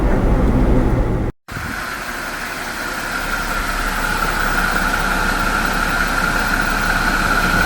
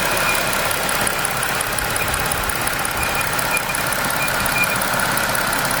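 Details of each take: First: 2025 Jeep Wrangler Pentastar after replacing the PCV valve with the new-style one: a steady, even idle hum with a faint constant hiss. The earlier squeal or chirp, an air-movement noise, is gone. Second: 2025 Jeep Wrangler Pentastar V6 idling with a thin, high whistle that fades in and out, at first taken for escaping air or a bad pulley; an air-movement noise from a faulty PCV valve, cured by fitting the new-style valve.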